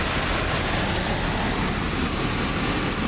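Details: Residential HVAC air handler, blower running on a call for cooling during an ECM variable-speed to PSC motor conversion: steady even whoosh of air with a low hum throughout, no squeal or rattle; normal blower operation.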